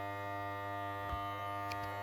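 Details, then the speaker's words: FXTUL F703 smoke leak detector running on a Pontiac G5 while diagnosing lean code P0171: steady, even electric pump hum at constant pitch, no knocks or rattles, still pushing out air; machine thought to auto-shut off after about 5 minutes. Normal operation. "And that'll just blow for a little while. While this is running, it's still pushing out air."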